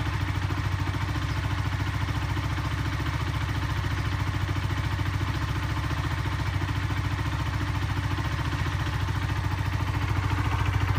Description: I took my bike to the garage after hearing this noise while riding home one day. I wasn't so sure what it was. The garage had to strip the engine and found that the gudgeon pin had fractured.